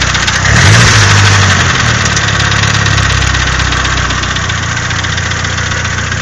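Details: Nissan SR20DET engine blips then settles to idle with a steady knock near four per second under the running noise; engine knocking, cause undetermined.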